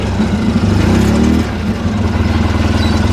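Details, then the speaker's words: 2010 Polaris Ranger RZR 800 S after engine rebuild, parked after test drive: fast idle at about 2,500 rpm, brief rise in pitch then a steady pulsing beat; good normal idle. "we got a good idle at 2,500."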